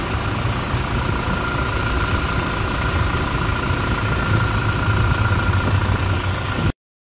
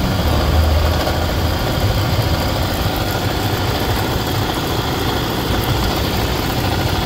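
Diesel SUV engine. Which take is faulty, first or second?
second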